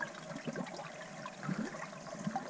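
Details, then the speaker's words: Basement sump pump handling constant groundwater inflow: quiet, continuous trickling and gurgling through the discharge pipe. The pump is doing its job. Normal sump pump discharge flow. "now I kept hearing water running right so you hear the water running the pumps actually doing its job because this has ground water in the basement"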